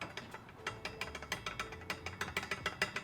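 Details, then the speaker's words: Volvo V70R with driveshaft bolts disconnected during turbo replacement: rough uneven clicks and ratcheting about three per second when turning the driveshaft by hand, which should not make this noise; driveshaft seems worn out. Not confirmed. "well the drive shaft bolts back here are disconnected although the drive shaft seems kind of shot actually"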